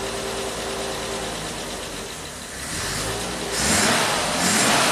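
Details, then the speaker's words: 1967 Triumph GT6 with twin Stromberg carbs, parked since 1999, first run on fresh oil and ethanol-free gas, no choke: smooth, even idle that climbs cleanly when revved, no knocks or misses; healthy running, some smoke. "So smooth, it revs up nice. Fresh oil, fresh gas, that's what it needed."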